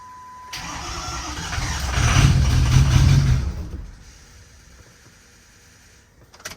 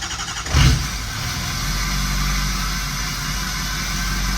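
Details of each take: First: Ford 6.0 Powerstroke diesel bought at auction, fuel pump primed repeatedly, weak batteries on charger: starter churns steadily about three seconds and never fires; no low-pressure oil built up, so it won't start. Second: Auction-bought Ford 6.0 Powerstroke diesel just after starting, with one side of the fuel rails opened: deep steady idle with no stumble or shaking, turbo now responding; later lost power on a test drive.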